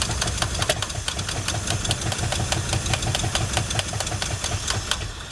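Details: 1979 Ford F150 with modified 351, long abandoned: uneven, lumpy idle with irregular pulses and knocking beats, struggling to keep running; owner unsure whether weak fuel pump or carburetor.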